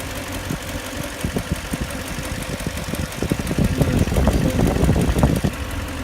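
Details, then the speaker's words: 2004 Lexus LX470 with 2UZ-FE V8 at idle: sharp knocks three to four per second, growing louder and heard best at one spot. Once intermittent, now constant and also on the left side. Valves checked and need no adjustment; camshafts suggested; antifreeze leaking. Cause undetermined. "Раньше стучало периодически, сейчас стучит постоянно и стучит уже и с левой стороны."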